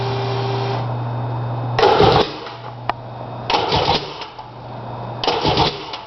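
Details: Sea-Doo GTX DI no-start: steady hum broken by three short cranking bursts about two seconds apart, engine never catches; cranks but won't start.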